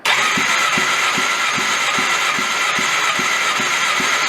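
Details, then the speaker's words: Homemade side-by-side engine compression test through a welded extension adapter, water found in cylinder: starter cranking with even compression pulses about 2.5 per second; only 60 psi per cylinder, low unless there's a leak. "crank it up geez that's right 60 pounds oh all right let's check the other ones that's bad unless there's a leak somewhere"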